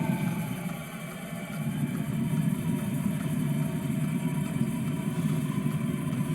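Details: Diesel heater after cleaning to cure white smoke; a dirty heater can flood its burn chamber on lighting. A low steady roar swells up, then burns evenly with no sputter or pulsing: lit and running cleanly.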